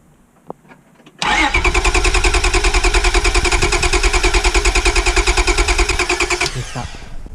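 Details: 1998 Honda Accord V6, crank no start: starter spins the engine evenly at just over three pulses a second for five seconds but it never catches or fires; diagnosis under way, starting with fuses and ignition.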